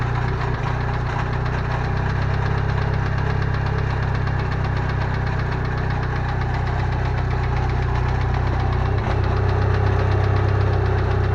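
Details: Idling engine with a steady metallic rattle-knock about four times a second; owner first suspected rod bearings, but the cause was a loose starter ring on the Fidanza flywheel.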